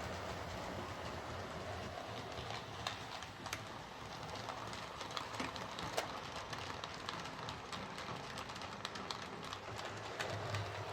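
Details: Bachmann Webb Coal Tank 0-6-2 model locomotive pulling coaches after repair of dislodged rear axles, bent pickups and a filed deformed wheel flange: light even wheel clicking, no knocks or clunks. Runs smoothly.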